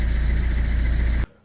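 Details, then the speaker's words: 2010 Ford C-Max diesel, sat six months with battery disconnected, wouldn't start from immobilizer fault after instrument cluster repair: after clearing errors, about a second of even, low, healthy idle; fault fixed. "Kręcimy Chyba za szybko jeszcze raz jest okej także usterka rzeczywiście usunięta"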